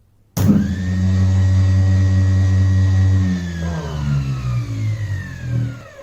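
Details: 24V DC e-bike motor (about 27A) run from a homemade 48V, 35A DC supply built from UPS and inverter transformers: hard spin-up with steady low hum and rising whine tapering on coast-down; runs smoothly, normal motor run.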